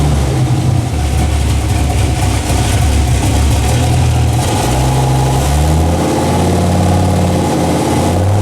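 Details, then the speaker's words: Dodge Ram SRT-10 (Viper V10 truck) newly fitted turbo kit with 3.5-inch downpipe, first start: loud, lumpy V10 with rough revs and raspy puffing over the exhaust note; leaks at old-gasket flange and possibly V-band collector. "there's a couple of exhaust leaks I gotta deal with there was uh right here I kind of knew about the flange was leaking because that old exhaust gasket"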